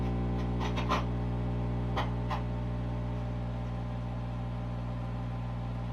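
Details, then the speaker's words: MTI-era Ampeg SVT bass amp, recapped, with added master volume and bias set, turned all the way up; steady low mains hum with faint clicks that almost disappears as the hum balance control is adjusted. "You can hear that hum just almost disappear."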